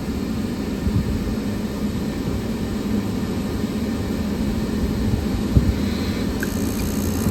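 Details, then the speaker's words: York rooftop unit not heating, fixed by freeing a sticking draft inducer pressure switch: steady low burner and fan rumble with no popping or surging after ignition; normal burner operation. "There she goes. That our pressure switch did stick."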